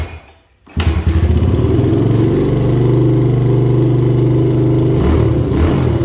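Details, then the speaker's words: 2000 Honda XR100 fitted with a BBR 120 big bore kit after its top end was blown, first start after the rebuild: catches right away, steady even single-cylinder beat, clean blip; smokes, owner suspects only oil trapped in the exhaust. "So it runs, but it definitely smokes, and it should hopefully just be the oil that's on the exhaust, because there was a ton of oil just pouring out."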